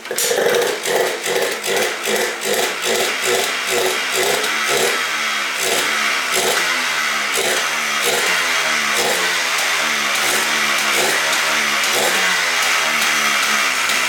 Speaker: Wow, it just fired right up, dude. I'm stoked. Sounds good, ready to idle.